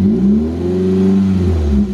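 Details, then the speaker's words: Toyota MR2 Spyder 1ZZ-FE after in-car rod bearing replacement, not fully warmed up: smooth revs climbing and settling back, no knock or tapping through the range; bottom end sounds healthy after the bearings were caught early. "and that just goes to show if you catch it early on enough you can just swap out the bearings without even having to worry about anything else and get your car back up and running"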